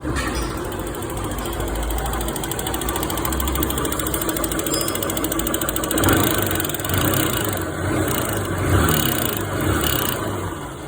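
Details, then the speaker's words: Honda Titan 150 single running with an uneven metallic clatter over a rough idle, caused by a loose exhaust valve seat in the head that came out by hand. "Olha aí o barulho, o que que era? Sede de escape, olha a sede de emissão. Saiu na mão, tá vendo?"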